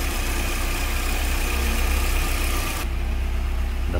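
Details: VW AP 2.0 8v engine at idle, warm, after new INA tensioner and original VW timing belt: light rhythmic chatter about four per second from tensioner or pulley area, stops briefly with water on belt, absent when cold; timing belt area noise.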